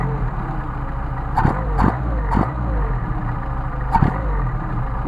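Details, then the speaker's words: Mercedes 190SL with rebuilt, adjusted Solex carbs, warm: steady idle of about 800 rpm (1,000 indicated) picks up cleanly on throttle with no stumble or popping, returning to idle; healthy response before a hot start. "response back to a th000 now we're going to turn it off for a second and we're going to do a hot start"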